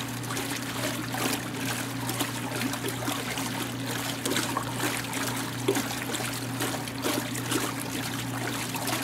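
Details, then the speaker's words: 1986 Kenmore 70 series washer being unwinterized in a garage: water trickles steadily into the tub over a low constant hum from the fill valve solenoid. Ordinary fill, nothing abnormal. "There's some of that, solenoid action going on."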